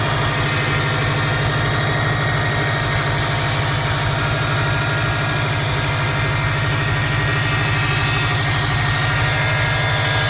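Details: 2005 Subaru Impreza WRX turbo petrol engine at idle: thin, high-pitched whine over the engine note; the owner also hears a turbo whistle while driving; source unknown.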